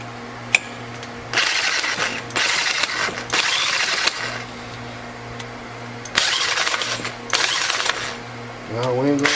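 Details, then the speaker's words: Scrapped Craftsman four-stroke weed eater with a broken pull start, cranked with an electric drill on the starter: bursts of fast whirring cranking with no firing pops or catching; cranks but won't start, cause unconfirmed. "sounds to me it ain't firing i'm just not doing good at this today"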